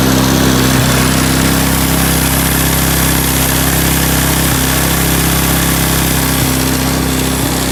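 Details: 1987 Honda TRX200SX ATV single-cylinder engine after carb cleaning and fresh fuel, cold weather: steady even putter at fast idle, no knocks or misses, holds speed cleanly; healthy idle.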